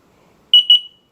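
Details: Carbon monoxide alarm, woken in the morning by beeping, still faults after new batteries and reset; display shows 23 degrees then fault/end message; two short shrill chirps close together, then quiet: end-of-life fault beep.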